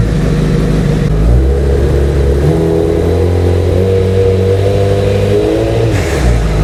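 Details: Honda CBR motorcycle after cam chain tensioner replacement, which addressed a buzz from the engine's right side at 3000 rpm: engine idles steadily, revs and settles cleanly with no buzz or rattle.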